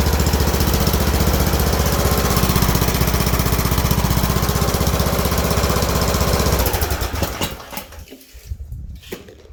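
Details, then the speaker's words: Craftsman riding mower, Briggs & Stratton overhead-valve single-cylinder engine, after camshaft replacement fixing broken decompression flyweight. Steady, even thumping, then key off and wind-down with a soft puff as the decompression lever releases into the intake: normal running and shutdown. "when you turn the key off and you hear that that's the decompression lever letting the compression go into this into the uh into the intake so we know that's working"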